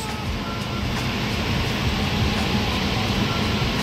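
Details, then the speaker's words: Liebert steam humidifier after replacing a failed relay, 25 volts at the fill valve: steady, even hiss of water filling the tank with no buzzing or chattering from the valve; normal fill before boiling starts. "we can hear that water hissing by should be a matter of time before we start boiling inside the tank so there it is"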